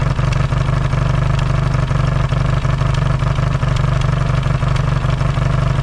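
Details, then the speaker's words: Yamaha XS650 twin, engine just reinstalled after fixing its oil-burning problem, warm-up idle with points not yet properly adjusted: steady even idle with firm regular exhaust beat, no misses or stumbles; no longer smoking, running cleanly. "and I'll uh yeah I'll let it warm up and we'll show you that it's not smoking anymore and things are good to go"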